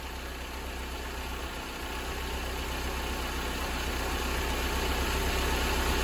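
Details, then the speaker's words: Mercedes-Benz 190E W201 2.0 L M102 petrol engine idles smoothly and quietly after replacing the worn belt tensioner, damper, adjuster and belt; earlier rumbling noise gone. "エンジン動作時にあった異音はなくなり静かになりました。"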